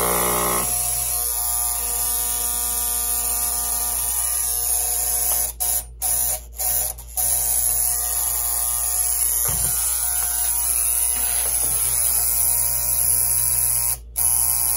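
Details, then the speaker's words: Vintage clock radio from a donated trunk of electronics, synchronous clock motor not running (probably needs oil); steady, raspy electric buzz on a single pitch with brief cutouts, the alarm buzzer sounding. "There's the buzzer for the alarm. I don't know if you've ever heard one of these ring."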